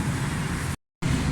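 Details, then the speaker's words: Suzuki Alto 1000cc petrol engine started after carburettor repair for a pick-up and fuel fault (jet fault). It settles into a steady, even low hum at idle with no knocks, misses or hunting: sounds healthy. "गाड़ी माशाल्लाह start है, carpet हर चीज़ का sound बेहतरीन है।"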